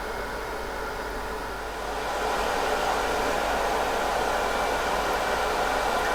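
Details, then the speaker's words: Riden RD6012 power supply at full load, 60 V 12 A (about 720 W), after about an hour running, internal temperature about 45–46 °C: steady airy roar swelling as the RD6012 controller's internal fan and the case fan kick in, then holding even. "You can probably hear that the internal RD6012 fan has kicked in, so there is another fan on the actual 6012 controller as well as the case fan. That's kicked in as well."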